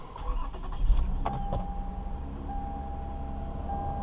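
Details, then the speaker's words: 2006 Toyota Avalon just after a new Denso ignition coil was fitted for misfire code P0353: it cranks briefly, catches quickly and settles into a smooth, steady idle with no stumble. There is no check-engine light. "No check engine light yet. That's a good sign. I did something right."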